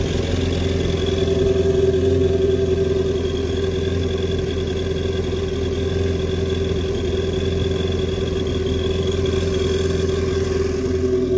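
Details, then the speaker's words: 2019 Yamaha GP1800R supercharged 1.8L WaveRunner with 135 hours, after supercharger clutch replacement: steady, even idle with a faint gear whine from the supercharger riding on top, smooth and healthy. "So there you have it. You can actually hear the supercharger turning now, all the gears in there."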